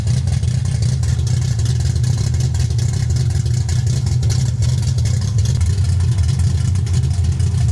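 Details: 1965 carbureted car, carburetor without choke, cold start at about 29°F after sitting outside in snow: deep steady low rumble with even beat, no misses or knocks; old engine running fine on freezing start.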